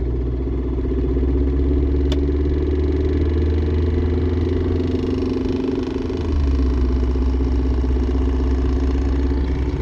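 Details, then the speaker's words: Mercedes C230 on the road, center bearing replaced months earlier, noise starts suddenly around 20 mph: steady road drone with irregular flutter about three beats a second, felt in the tunnel; later traced to torn driveshaft rubber piece hitting heat shields. "definitely coming from my drive shaft and i can kind of feel it on the tunnel i think"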